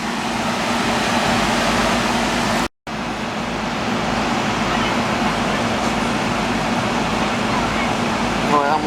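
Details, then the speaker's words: Commercial R-22 AC condenser at about 65°F outdoor, after dry condenser install and recharge: steady fan air rush over smooth compressor hum, no knocks or squeals; superheat, subcool and head pressure normal. "up that's pretty good on my super heat my sub cool is good my head pressure is good I'm liking that right there that's looking fine right there it's right where I want it"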